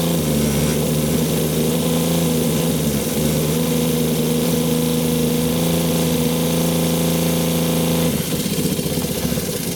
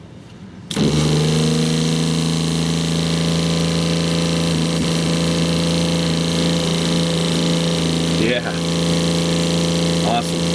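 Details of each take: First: 2001 American Tradition RV 12 V fresh-water pump, low pressure and cutting in and out, voltage read at the pump: steady buzzing hum that suddenly drops and roughens as voltage swings toward zero; erratic operation from a poor connector. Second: 2001 American Tradition RV fresh-water pump, previously cutting in and out, after unplugging and replugging its connector: steady, even electric drone with constant low pitch, no surging or stutter. Normal pump operation.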